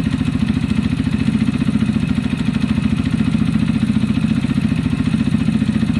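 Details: Zontes EFI motorcycle with a fuel-injection cutting-out problem, idling after the choke went off: a steady even idle thump with a faint valve tick on top. It now sounds much better.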